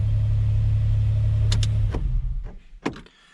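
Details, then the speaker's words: 2008 Chrysler Pacifica with a no crank, no start fault, traced to a broken ignition switch actuator piece, started by turning the sensor with a screwdriver: smooth steady low idle hum with no misses or knocks and no check engine lights, then shut off; runs cleanly. "and then it starts right up yeah no check engine lights believe it or not"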